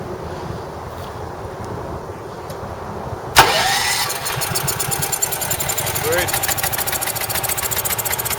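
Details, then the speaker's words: Champion 6,000 W running / 7,000 W peak generator, sat about 2 years, new battery, choked start after repair: silent, then catches around three seconds in and settles into a fast steady loud run; healthy, though mechanic notes Champions run lean. "but it's running pretty good these Champions are okay generators they're not my choice of generator but yeah definitely loud"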